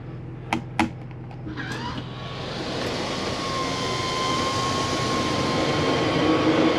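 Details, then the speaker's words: RV bathroom Maxx Air fan, which only works when the fan button is on: switch clicks, then a steady, even whoosh with a faint tone as it exhausts air out, running normally. "so that right now is pulling air out. You want to do that."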